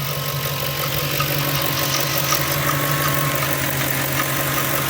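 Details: Ford 4.6 V8 idling with a steady low hum and a light, quick tick two or three times a second, suspected timing chain but caused by the belt tensioner; the noise stops when pressure is applied with a pry bar.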